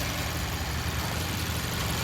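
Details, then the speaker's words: 2015 Mazda CX-5 four-cylinder direct-injection engine at idle: steady even idle with a light, fast injector tick over a low hum; normal injector pulse, healthy engine. "you're hearing the pulse fire of the injectors. Um so, that's good."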